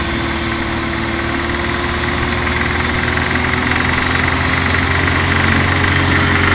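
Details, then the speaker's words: BMW E34 with M50B20 engine, suspected VANOS noise: starts easily and is quiet at idle, but a light, fast rattle of about 220 a minute appears from around 2000 rpm up to the rev limiter; cause unconfirmed. "шум появляются в районе 2000 оборотов штук и продолжается до отсечки"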